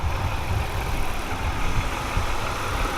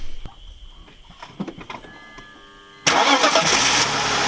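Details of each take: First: BMW E46 wagon after spark plug change, plugs previously fouled black and fuel suspected in the oil: even, steady low idle rumble with no ticking, knocking or misses; now sounds normal and quiet. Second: BMW E46 wagon with misfire, plugs fouled black after a minute of idling; some plugs replaced. Starter whirs, catches, then idle is uneven and unsettled. Misfire persists, cause not traced; check engine light on.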